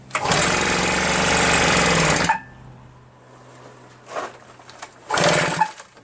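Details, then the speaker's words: RedMax EBZ8050 two-stroke backpack leaf blower after new piston rings installed for no compression; very hard to pull, owner suspects rings too tight and lacking cylinder lubrication. Catches and roars about two seconds, dies, then only brief coughs on later pulls: hard starting. "I feel like I feel like the rings are so tight right that it's stopping the engine from moving there's like not enough lubrication in the cylinder that's what I'm feeling and it's really difficult to start you know"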